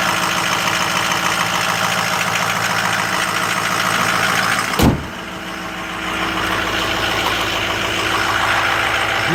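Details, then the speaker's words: 2007 Ford F250 6.0 diesel idling just after a cold start, fluids checked. Steady, even cold diesel clatter with no odd knocks; a healthy engine. "that sounds pretty good for as cold as she is I checked all the fluids first we're good"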